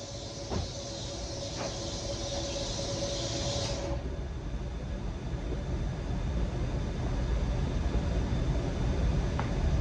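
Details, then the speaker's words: Cadillac CTS wagon with LS swap (CTS-V clone), first start after drivetrain install, started by tripping the starter relay with no coolant yet; faint hiss fades into a steady V8 rumble, running cleanly without stumbles or knocks. "Now there's a lot of odds and ends I still have to do to it, but it does run. Throttle works, so everything looks like it's going to work as is."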